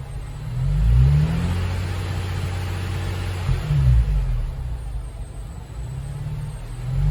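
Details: Nissan Fairlady Z Z33, VQ35DE V6, automatic, 310,000 km, just after a DIY engine overhaul: deep rev blips rise and fall smoothly through several revs with no knocks, ticks or rattles. A healthy-sounding engine.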